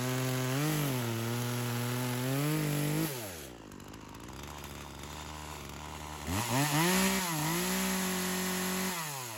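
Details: Craftsman chainsaw, unknown model, that sat for years, first run: revs high, pitch sags as chain loads into wood, then recovers; bogs under cutting load. Engagement problem, more fuel added; owner suspects a slightly stuck ring.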